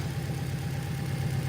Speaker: It's idling at about 1100, but it is cold.